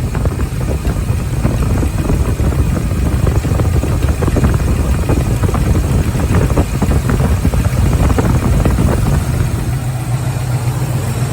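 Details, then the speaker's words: 1983 Ford Mustang GT V8 junkyard rescue, 4180 carburetor, idle: loud, lumpy idle with an uneven beat and a missing pulse; cylinder one misfiring from a fouled spark plug. "there's another problem uh spark plug one is fouled out"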